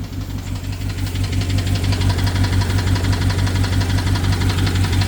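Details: BMW 750Li with N63 engine, after fuel injectors and high-pressure fuel pump were replaced. Steady, slightly lumpy idle with a loud regular tick about three per second; ticking with misfire, owner suspects timing chain, unconfirmed.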